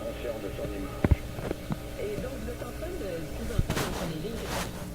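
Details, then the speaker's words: Nordmende Elektra F13 tube radio on current-limited B+, investigating fading output; low warm mains hum turning grittier with more harmonics, plus handling thumps; cause not yet traced. "hum thing going seems to be a low warm hum that then changes to a grittier with more harmonics in it but I don't know if you can hear that or not"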